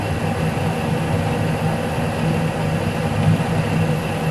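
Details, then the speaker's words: Lathe single-point turning an internal thread for a locknut, with speed reduced from about 150 rpm and feed reduced: an even, steady cutting rumble with a low hum and no chatter or squeal. It is cutting cleanly. "i also should use this speed for making to thread itself yeah this sounds better"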